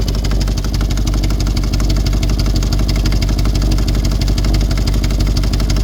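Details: VW Touareg 4.2 V8 after breakdown (shut down, lost vacuum brakes): starts but loud harsh idle with steady clatter seemingly from top of engine, smoke from bottom, oil pressure and coolant warnings; serious damage suspected.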